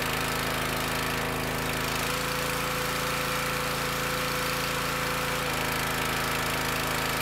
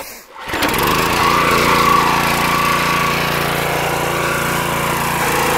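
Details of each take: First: Petrol pressure washer, before repair: steady drone then sags and labours when wand trigger released, stops abruptly at shutdown; high pressure not relieved, unloader valve seal broken. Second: Pressure washer after internal repair of suspected unloader/dump valve fault (previously wouldn't release high pressure on trigger release), restarted: catches quickly, settles into steady, even drone with no surging or knocking; normal running.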